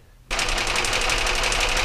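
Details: Car engine at idle during a cylinder-drop test with a spark tester and timing light: a fast, even ticking knock throughout. It is an internal engine knock, but whether top or bottom end is undetermined.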